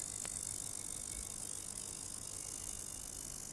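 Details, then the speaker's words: Basic ultrasonic cleaner for vape parts running a 180-second cycle with lid open, water in tank showing tiny ripples; constant thin high-pitched hiss with faint steady whine, no rattles or buzzing; normal operation. "And if you put your finger inside, right, you can actually feel something there, and those are the bubbles, or the water is actually moving on the inside because of the sound waves."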